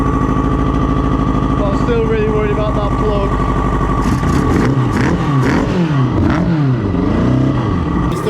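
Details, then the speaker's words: Kawasaki Ninja motorbike engine for a Reliant swap, running with three spark plugs and vacuum lines off; idle settles then hunts up and down unevenly, expected to be fine once vacuum lines are reconnected; hunting idle from disconnected vacuum lines. "the vacuum lines off so it's a bit weird and it's chasing a little bit but so as I've got the vacuum lines pushed in and stuff it should be fine"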